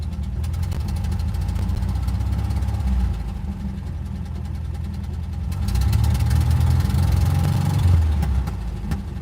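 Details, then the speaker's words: Van engine after a long crank to start, mic windscreen off. A lumpy, uneven idle with irregular low thumps and a rhythm that swells and sags: rough running. Cause not confirmed. "Can you guys hear very well? Rough, bro."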